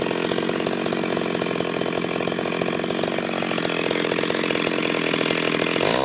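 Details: Ported Stihl 026 chainsaw making shakedown cuts in hard wood: a high, steady screaming rev that holds through the cut without bogging or stuttering, then clears on exit. Healthy under cut.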